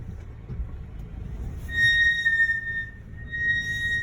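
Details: Mercedes GLC, under 30k miles, at low speed in cold weather under light braking; over low road rumble a sharp high-pitched squeal holds, dies, then returns, classic pad squeal, present since purchase; dealer says it is not a fault.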